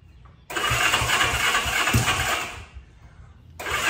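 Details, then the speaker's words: 1965 Honda CB77 Super Hawk first start after restoration, earlier backfiring, spark plugs swapped, a little choke: two bursts of quick cranking with occasional louder pops, trying to fire but not catching; engine trying to catch while cranking. "As soon as I did that, there were clear signs of life. Like, you could hear it. It was trying, it was there."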